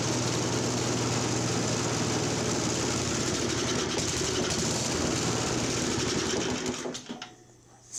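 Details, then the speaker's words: Vintage Craftsman 5 hp 24-inch (5/24) snowblower brought in for no-start: small engine fires and runs hard about seven seconds, then stumbles and dies; carburetor idle mixture not yet set. "fired and died let's give her a little more idle mixture yeah we gotta set these mixtures yet"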